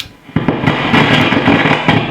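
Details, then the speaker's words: Fender Hot Rod DeVille valve guitar amp switched out of standby: loud, ragged continuous crackling and popping from the speaker; fault not yet traced, possibly a valve or something else. "okay so the problem on this amp is when you turn it on it makes a crackling sound"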